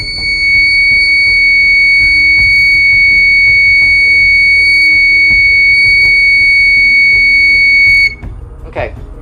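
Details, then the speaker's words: 12 V alarm siren with two positive terminals and one negative, wired for its solid-tone output: a piercing, perfectly steady high tone holds unbroken for about eight seconds, then cuts off; the siren output is normal. "sounds pretty solid sound pretty solid"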